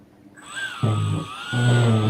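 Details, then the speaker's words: EDF ducted fan back at its starting balance position, spooling to a high steady whine over a heavy, rough low rumble that sounds horrendous. Rotor badly out of balance. Unbalanced fan vibration. "that sounds terrible that is absolutely horrendous and that's all the way back to the start"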